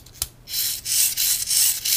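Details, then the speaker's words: VEX 393 high-strength 2-wire motor, opened, gear train turned by hand at the output shaft. Dry, raspy crackle in bursts; the gears sound rough, cause not confirmed. "can hear that motor train in there that's really crackly"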